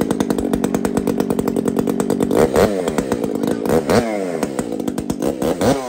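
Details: Two-stroke chainsaw (Kenzie's), just after first start with throttle given: crisp buzz climbing and falling cleanly with each blip, firing evenly without bogging; runs healthy.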